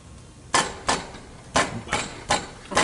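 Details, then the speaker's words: 2000 Mercedes E320 4MATIC started up: six sharp metallic knocks with a rattling tail as the front catalytic converter's broken, loose insides rattle; the platinum substrate is gone and debris is clogging the resonator. "yeah, a lot of converters are banging and rattling. Yep. Needs all the catalytic. Yep, catalytic converters. The front one is there. When it's started, you hear that thing rattling inside."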